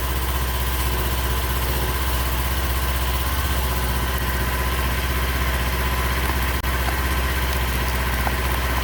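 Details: 2019 Kawasaki Z400 parallel twin, started after air filter removal and inspection. Steady low burble with an even beat and no knocks. Normal idle.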